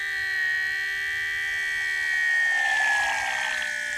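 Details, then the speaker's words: Small 9V electric coolant pump on a water-cooled Goped scooter, replacing a pulse-powered pump; steady high electric whine shifting slightly in pitch as it primes and picks up flow; running normally, though the single 9V battery may be struggling. "all right sounds pretty good though"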